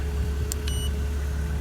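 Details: 2004 BMW Z4, all-aluminum engine, after replacing electronically controlled thermostat for high-resistance thermostat code: warm, coolant at 208 and fan cycled, low steady even idle rumble with no knocks or misses; normal idle.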